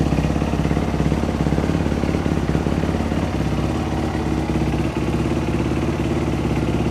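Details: Single-cylinder dirt bike after a top-end rebuild, refired after the fuel squirt was restored and idle speed adjusted; steady idle around 200 beats a minute, no misses, settling evenly; normal idle.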